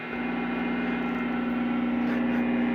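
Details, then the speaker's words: Chinese-made Hofner violin hollow body electric guitar through an amp, one small LED lamp switched on nearby: steady low hum with a thin buzzy edge that never changes; the guitar is picking up LED lamp interference. "let me turn on let me turn on this led lamp this is one little bitty led lamp not like a stage full of led lights"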